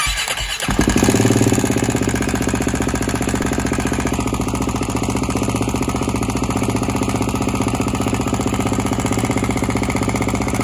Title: G450X noisy while cold